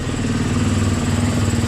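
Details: KTM 350 EXC-F, bone-stock exhaust, after a no-start fixed with a new battery (starter suspected): steady, even single-cylinder putter at a quick idle with no misses or knocks; the bike settles and runs cleanly.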